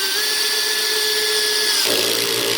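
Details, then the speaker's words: Drill, clutch set about 9–10, driving a screw flush into wood: motor whirs, then fast ratcheting click as the screw seats; clutch slipping at its setting as intended, normal. "You hear it clicking? See how that's nice and flush with the wood right there? So the clicking's not bad."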